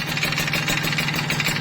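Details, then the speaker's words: Kawasaki Ninja RR, long unused and started only that day, before repair with a whitened bore: a fast, sharp metallic rattle ticks steadily and stays loud even at idle, worn piston slap. "Bagian yang letreknya itu ada di bagian sini ya, kedengarannya keras banget. Nah udah jelas ya. Ini idel juga kedengeran nih ya, ini idel."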